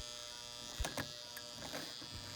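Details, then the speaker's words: Heavily worn Marx 666 toy locomotive given power: steady electrical buzz with faint clicks but no motor whir; motor powered but not turning, E-unit suspected stuck between forward and reverse, not confirmed. "it's buzzing i can't believe it that means the motor is trying to come back to life"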